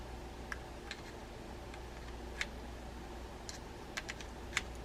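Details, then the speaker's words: Shimano Caenan 100 low-profile baitcasting reel during reassembly after service, handle nut being tightened. Light crisp ticks at uneven spacing as the handle turns; the clicker is installed and engaging properly. "you can hear the clicker working so we've got that installed properly"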